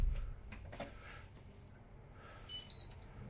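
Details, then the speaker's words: Washing machine after replacing the faulty door lock with a new one: quiet room, then short high beeps as start is pressed; normal start response and door locking. "can you hear the when when i pushed press the start you can hear the sound"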